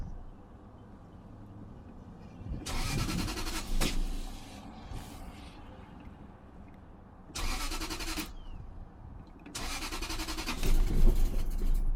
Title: '97 Lexus LS400 - Crank & No Start